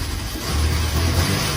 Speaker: start smoothly very perfect look at the front the fault has completely disappeared come and see the power of the engine is also very strong